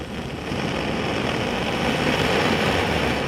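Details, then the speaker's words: About 100-year-old Clayton & Lambert blowtorch fuelled with Coleman fuel, head preheated, lighting right off: steady, even roar with soft hiss, no sputtering or popping; burning cleanly and running normally. "Lights right off. You can hear it running."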